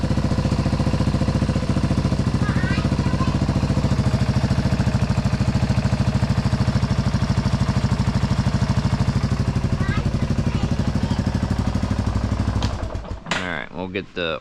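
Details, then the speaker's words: Big Bear 350 ATV after a stuck carburetor float was freed: the single cylinder thumps along evenly and revs progressively and cleanly without stumbling, then cuts off. Running normally. "That throttle feels really good. Just progressively revs, you know, the way it should."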